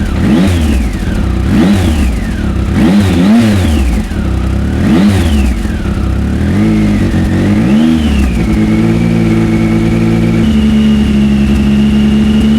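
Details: Triumph Speed Triple 1050 S with SP Engineering exhausts, baffles in, about 3,000 rpm revved to about 6,000: repeated crisp blips climbing and dropping, then a steady held rev; triple sound with more grunt than stock; normal revving.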